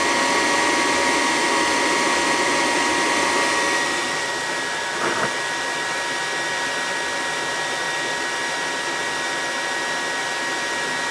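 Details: Attic gas furnace serving a non-working second floor, firing after thermostat red and white wires were jumped: steady airy roar of burner and blower with a faint whistle, running smoothly. The thermostat or its subbase is suspected bad.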